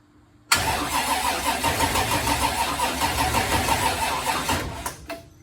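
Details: Twin-turbo 1969 Camaro pro mod, left sitting unstarted, cranks slowly and labouring at just over three turns a second for about four seconds without catching; battery too low to start it, left charging.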